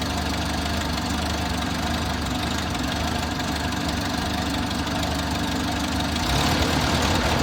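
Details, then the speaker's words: Six-wheeled Toyota truck after fuel tank replacement, now with new fuel filter and spark plugs: rough surging idle, loose irregular pulses about three per second, slight swell near end, maybe worse than before; cause unknown. "Well, clearly the fuel filter and the spark plugs didn't fix my problem. I still have that odd idle and it may be even worse now."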